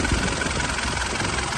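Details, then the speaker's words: 2008 Mitsubishi Pajero Full 3.2 diesel after replacing the timing chain kit to cure chain noise: steady, even clatter at idle with no chain rattle or irregular knocking; the noise is gone. "barulho silencioso Olha aí pessoal Zerou Zerou"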